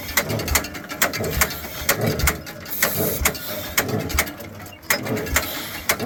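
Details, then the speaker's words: Caterpillar Twenty Two hand-crank dozer, engine turned by hand: slow, uneven clanking about one beat a second with no firing; vacuum felt at the exhaust, suspected valves hung open, low compression. "You're making vacuum on your exhaust. You're making vacuum on the exhaust. Is that good? That means you got valves hung open. That's not good at all."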